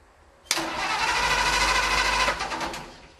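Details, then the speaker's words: 1948 Ford F-5 truck, cold start after sitting unrun for over a year: steady cranking at about three turns a second dies away without firing; the owner suspects the fuel pump isn't pumping, and dead wires were later found. "I think maybe I better find out why this fuel pump isn't pumping, because when I turned that switch on, that should have kicked on."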